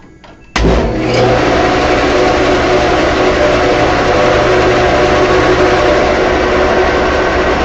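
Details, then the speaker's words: 1945 Delta band saw after new blade guide blocks and bearings, briefly started to check tracking before full speed: thump then steady even hum and whir, no ticking or rubbing; blade tracking, normal running. "What I do is I just go, and that seems to be tracking."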